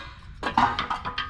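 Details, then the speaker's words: Old rear muffler section from a 1974 DAF 66 YA, removed during an exhaust replacement: dry clattering bursts as it is shaken, from loose rusted junk inside that had been dumping out of the tailpipe. "This junk just dumped out of the tailpipe. You can hear it shake all the junk inside."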